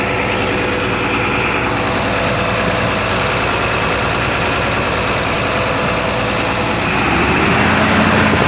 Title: Engine knocking